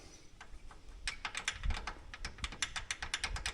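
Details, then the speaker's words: Polaris Ranger rear, in neutral with wheel turning: light irregular clicking, a few ticks per second, from loose rear brake pads moving in the caliper with about half-inch gap; planned fix is springs pushing pads away from rotor. "this is the sound that we were picking up so what I'm going to do I measured this gaps about a half inch I'm going to put a spring in here on each one of these on each side which will force these brake pads out away from the rotor and that should solve the problem"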